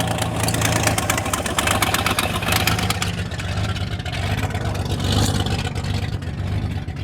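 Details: Car just started: a loud, uneven idle with irregular stumbles after a brief blip. This is a rough idle, possibly a slight misfire of unknown cause; it sounds angry on one side.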